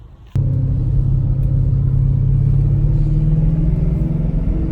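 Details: Mustang driving after a blown shock mount, from a pothole, was replaced along with its collar and bushing. Steady road rumble with no knocks or clunks: the noise and shake are gone, suspension normal.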